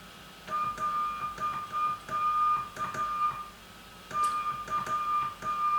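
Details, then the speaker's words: Old-school CW transmitter on 3.545 MHz in the 80 m band, after two stabilizer valves were fitted to cure chirp: steady mid-pitched tone keyed in clean dots and dashes with no pitch slide; keying is stable and chirp-free. "It's a nice tone, isn't it? So you can hear this is completely satisfying."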